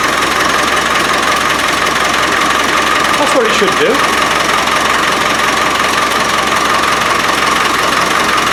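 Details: Rebuilt Land Rover 300Tdi diesel after start-up fuel problems: steady, even diesel clatter at idle with constant hum, no stumbling or hunting; lift pump suspected as the cause, now runs cleanly.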